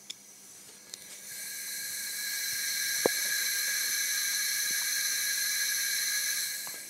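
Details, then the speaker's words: Pinto engine (DAX project) parked for 15 years, during a cylinder leakage test, heard at the crankcase oil return opening: steady high-pitched hiss of air escaping past the piston (blow-by) despite good compression of about 11.5–12 kg. "the sound that you hear is what we call blow by it is actually the air which is in the compression chamber which is escaping in between the piston and the cylinder"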